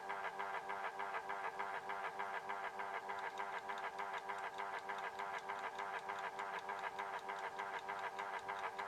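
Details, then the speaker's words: Horstmann VA Mk9 SRS2 rate changer time switch, 240V 50Hz synchronous motor, repowered with case back on: still quite loud, steady whirr with even tick about three per second; the case barely quietens it; normal. "As you can hear from that, that case doesn't do too much to quieten it down. It's still quite loud. Like I say, VA basically means very audible."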